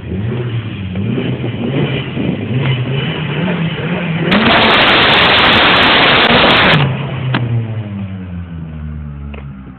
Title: exhaust leak